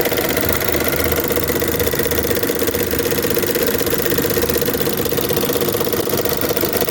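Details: Chevrolet Onix 1.4/1.0 engine at steady idle with a light, fairly even tick about three per second, described as a common defect that is easy to fix; ticking noise, source not pinned down.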